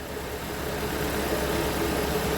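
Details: 2013 Toyota Venza 2.7L after engine install, clean oil: steady, even idle with a slightly loud exhaust note attributed to long exhaust manifold runners and large head, no knocking or ticking; running smoothly.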